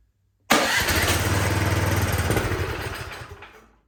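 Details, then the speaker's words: Cub Cadet snow blower with full choke, primed, on electric start: steady cranking of about four pulses a second for three seconds without firing; fuel isn't getting from the carburetor into the engine. "Okay, so we have some kind of fuel issue getting from the bottom of the carburetor into the top of the engine."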